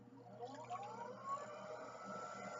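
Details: Potter's wheel spinning with a freshly balanced new bat: quiet, even whir with a soft tone rising as the wheel speeds up, no ticking (unbalanced bats tick), so the wheel is running true.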